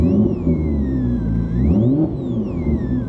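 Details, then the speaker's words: Alternator whine through the stereo speakers of a Porsche 996 911 Turbo after a DIY head unit, amp and speaker install; pitch rises with revs. Owner suspects a ground issue and plans to move the amp ground. "so like it gets it's almost like alternator one whenever you start up the car like you can hear it inside like the higher I rev the engine you hear like the whining sort of through the speakers"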